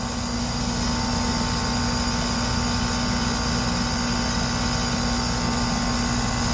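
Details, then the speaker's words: Lennox heat pump cooling at about 83°F outside, pressures 133/264, 4° superheat, 3° subcooling: loud rough drone with steady low hum and rattly texture; technician suspects bad compressor valves, compressor likely failing. "I don't know if that's bad valves in the compressor, or are we stabilized? I don't know. Doesn't sound good."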